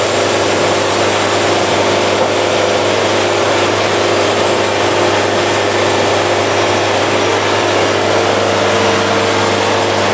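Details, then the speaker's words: Band sawmill cutting at a fast feed, which removed the band bounce and packed sawdust seen at slow speed. Steady engine drone and smooth cutting hiss; afterwards the band was mirror-smooth with zero buildup. Normal running. "and just for fun let's look at the band after it's all over with look again I mean mirror smooth zero buildup at all this thing is running great"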